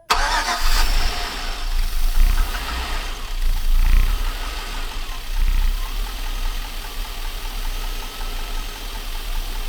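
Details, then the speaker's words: Junkyard 5.3 Vortec LS swapped into Chevrolet Silverado 1500, first startup, weak battery: engine catches but revs sag and surge unevenly, needing slight throttle to stay running; owner suspects very old gas or computer relearning new system. "Okay. So, it starts up. Um, the only thing is I got to be holding the the gas just a tad bit."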